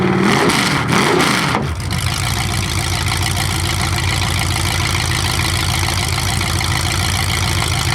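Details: 427 big-block Chevy V8 on an engine run stand, first fire after sitting a long time; distributor timing just adjusted, owner suspects the wrong way. Loud even burble through open headers settling from a rev to steady idle, no knocks; normal idle and revving.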